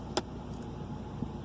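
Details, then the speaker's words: 2005 Hyundai Santa Fe 2.7L just after idle control valve replacement and throttle body cleaning, with the idle recalibrating. A quiet, steady, even idle after a click, and revs rise and fall normally with the gas pedal: repair successful. "started it sounds good let's go ahead and hit the gas pedal and see what does know oh yeah it's going up and down like normal it's running real good"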